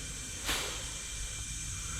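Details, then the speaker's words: Turbo 265 Centura boost leak test with homemade pressure tester on the intake: brief puff then steady sharp air hiss as pressure bleeds down past the plenum panel, a past leak spot; boost leak. "okay so this is where we've had the the leak problems in the past as you can hear it just pressuring down the"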